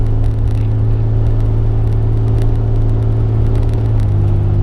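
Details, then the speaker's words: Toyota T100 2WD pickup driven fast on a bumpy dirt road, heard inside the cab after Gorilla tape was applied over the body where the doors close: steady low engine and road rumble with no metal-on-metal door clanking, quiet now. "Oh my gosh, peace and quiet. This is great."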